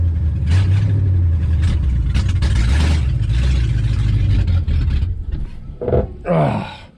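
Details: 1967 AMC Rambler Rebel SST, 290 cubic inch V8 with 2-barrel carburetor and automatic, off the road since 1981 in a farmyard, started on a fresh battery: heavy, deep rumble swelling with a few throttle blips, then fading off; engine starts and runs after long storage.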